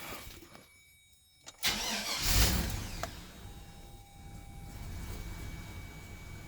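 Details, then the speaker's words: 2002 Silverado 2500HD that had a hard or no start with only starter clicking, caused by a bad ground strap to the engine block. With a solid ground from the battery it cranks briefly and starts cleanly into a smooth idle. "so I'm losing my ground to the block for starting [Music] and now it'll do just fine each time"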